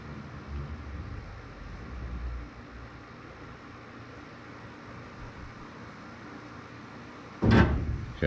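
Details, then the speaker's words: Irrigation manifold system switching on: low rumble of moving water then heavy thump ringing through house plumbing; water hammer, expansion tank visibly moving, faulty expansion tank suspected, new tank awaiting install. "so this whole thing acts like a pipe organ right noise from here reverberates all the way through the plumbing and uh you can hear it throughout the house that's essentially what's happening"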